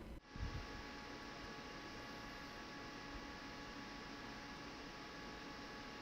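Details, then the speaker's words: Asus ROG Ryuo 240 AIO cooling 9700K at 1.325 V: one Noctua NF-A12x25 plus stock fans in improvised push-pull in a case not meant for an AIO, fans misaligned; constant rushing air with thin steady whine, terrible noise. "As a matter of fact, it is not meant for any kind of AIO. So the fans didn't line properly and made a terrible noise."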